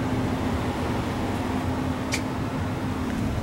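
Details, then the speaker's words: About 25-year-old central AC outdoor unit not cooling, indoor fan working and filter changed: steady low hum with no run-up, compressor trying but failing to start; suspected bad capacitor, not yet checked. "It's trying to start. It's a capacitor. Guaranteed. Could hear it."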